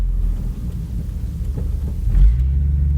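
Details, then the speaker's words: Ford Mustang 3.8L V6 with Pacesetter long-tube headers, Pacesetter H-pipe and Flowmaster exhaust, which fit poorly: deep, uneven, rough raspy rumble under acceleration that sounds terrible; harsh exhaust note. "it sounds terrible."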